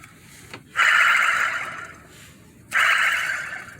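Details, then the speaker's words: Hyundai Tiburon wheel bearing spun by hand twice: gritty, raspy whir fading as it slows; bearing wearing out with little side-to-side play; brake also dragging. "definitely wearing out not a lot of side to side play but it's wearing out"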